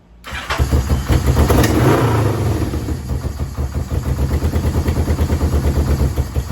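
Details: Yamaha VMAX 1200 that sat about 5 years, cold start on choke with a jerry-rigged fuel pump: it catches after a few cranks, then settles into a lumpy idle pulsing about three times a second. It dies with the choke off. Owner suspects clogged carb jets and has ordered a rebuild kit.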